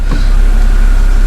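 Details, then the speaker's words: BMW E60 528xi (Copart car, rusty brakes audible) test drive after hub bearing replacement; low smooth road rumble with no knock, growl or thump from the front wheels, previous horrible sound gone, confirming the bad bearing; normal wheel bearing operation. "right now I can only hear the rusty brakes okay so [Music] it was the bad bearing it was the bad bearing because right now it doesn't produce those horrible sounds"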